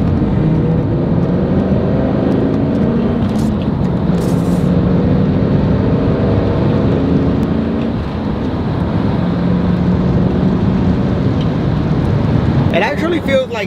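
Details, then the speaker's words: Chevy Camaro SS SLP road test through the gears after repair replacing 23-year-old worn bearings: smooth engagement and shifting, clean rising pitch, no humming on throttle or let-off; drivetrain now healthy under acceleration. "it just engages a lot smoother not that the uh shifting change or anything but you can tell definitely that everything is just kind of running a lot smoother in regards to the shifting"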